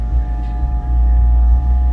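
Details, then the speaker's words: PC that recently started making an electrical noise; steady hum with thin constant tone on top: coil whine, typical of high-power graphics cards and power supplies, from the inductor vibrating under current and magnetic force. "este sonido se le conoce como Cold wine se produce normalmente en las gráficas y fuentes que requieren alto consumo de energía y se genera porque en la bobina o inductor pasa corriente eléctrica"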